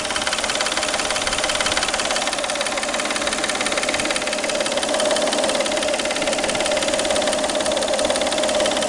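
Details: Peugeot 607 3.0 V6 idling: a sharp tapping about twice a second rides over the steady idle, a knock from the timing-belt area at the front of the engine.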